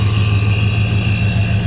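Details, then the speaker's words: 2013 Ford F-150 Boss Edition 5.0 Coyote V8 with ProCharger at about 12 lbs boost lost oil pressure (owner unsure if oil pump gears); heavy rumble, faint whine, dull knock; has oil pressure cold but knock worsens when warm; engine to be replaced. "has oil pressure when it's cold but the knock is pretty bad once it heats up"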